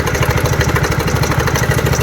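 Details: TVS Ntorq 125 BS6 scooter idling with a fast, even metallic rattle on every beat: timing chain tensioner noise, fixed by adjusting with a screwdriver under the rubber cover.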